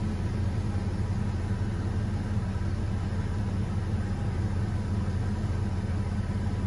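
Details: 2003 Chevy Trailblazer at idle after replacing the broken coolant temperature sensor that caused cold cylinder misfires: smooth, even low rumble, no misses, knocks or surges; healthy settled idle.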